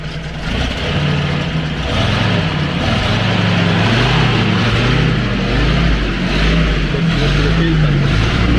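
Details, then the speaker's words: 40-year-old vintage vehicle started after boost pump priming, in neutral; steady low idle with a light even tick about four per second, smooth and settled; normal healthy idle. "And now I will start it. And hear the ticking idle."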